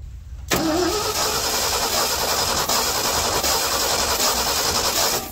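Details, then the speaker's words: 1977 Ford F600 truck, engine size unknown, sitting about five years: steady cranking that never fires, cranks but won't start; 12.38 V at coil, spark tested at coil and through cap is very weak; points, condenser, rotor planned. "yeah that's a really really weak spark"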